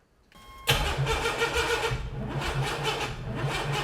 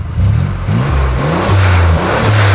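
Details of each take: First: Junkyard 4.3 V6 turbo in an AWD S10 pickup, freshly cammed and ring-gapped, on first start attempt: steady cranking about three turns a second that never catches, fuel smell; ignition timing likely 180 degrees out. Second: Turbo 4.3L V6 AWD S10 pickup after reattaching a fallen-off spark plug wire; strong, clean revs rising and falling through several blips, smooth pull with no stumble or miss, running on all six cylinders.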